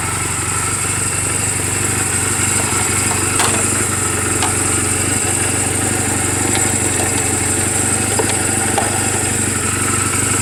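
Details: 2007 Honda Rebel 250 idling in neutral just after an oil change and valve clearance adjustment; small-engine putter, about four beats a second, steady with no ticking or misses. Mechanically sound, only cosmetic flaws. Normal healthy idle.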